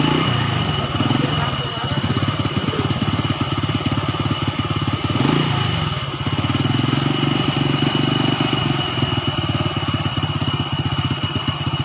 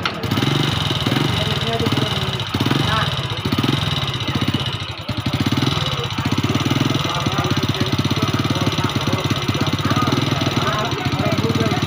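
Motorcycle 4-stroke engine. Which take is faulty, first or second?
second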